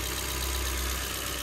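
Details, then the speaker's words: Ford Fiesta engine running smoothly with an even low hum and no misfire after its timing belt job was redone and the top end re-timed to the bottom end; it had earlier cranked without firing. "going to turn it off because i haven't got obviously all this stuff needs put all back together but this runs so what a result"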